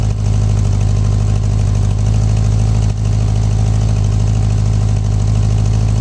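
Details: 1984 Honda Goldwing 1200 idling on a swapped-in 1985 Honda Prelude fuel pump, around 60°F. Smooth, deep, even idle with no stumbles, misses or pump ticking; running as it should.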